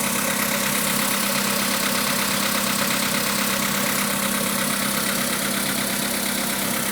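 Steady idle with a light, fairly regular knock riding on top, a few taps a second; a knock that needs tracing.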